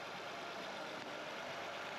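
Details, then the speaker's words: Nissan Murano, 147,700 miles, check engine light, about 4,000 miles overdue for oil change; engine idles under a steady airy hiss, idle changing as the intake boot is handled: vacuum leak from a large rip in the intake boot. "Because you can hear the idle change as I'm farting around with this back here. Oh, there's a hole in it. Holy shit. Okay. That'll do it."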